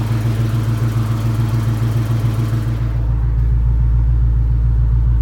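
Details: 1999 Mustang GT, built 4.6 4V V8 with Kooks long-tube headers and X-pipe, all-new drivetrain (McLeod RXT twin-disc clutch, aluminum flywheel, T-56 Magnum) under 60 miles: deep idle with steady rattling tick, three–four clicks a second; clutch suspected, cause unknown.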